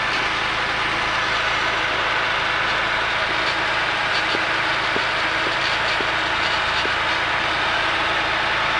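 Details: 1998 Ford Taurus 24v, 76k miles, cold start only, hard starting: constant raspy buzz with faint ticks at cold idle, gone after a few miles. Plugs, alternator, belt and cam and oil pressure sensors were recently replaced; source unknown.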